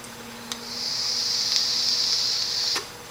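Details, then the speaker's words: Sigelei telescoping v5 Zmax vape mod firing at 7 watts, the so-called rattlesnake pulse, as it checks the coil resistance and sets the power. A click, then a high steady buzz runs evenly for about two seconds and cuts off: normal coil firing. "So they call it the rattlesnake. You'll be able to hear it. So it's checking the ohm of whatever device you have on here and then applying the exact amount of power you need to vape."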